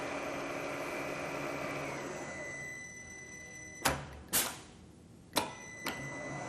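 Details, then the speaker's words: Rottler boring bar trial cut in an engine block cylinder targeted at 4.025 inches, school machine shop: steady light whir with a thin high tone, then a few sharp clunks as the feed stops; clean, normal cutting. "Okay, lever down, push the feed button, and I'm going to make another trial cut here."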